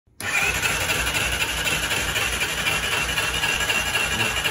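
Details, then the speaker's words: Honda XRE 300 (same engine as CB 300), over 40,000 km without valve adjustment, won't start: starter spins the engine freely and evenly with no compression chuffs; no compression from stuck, melted exhaust valves and a cracked cylinder head. "Se da partida você percebe que o motor tá girando livre tá sem compressão no motor"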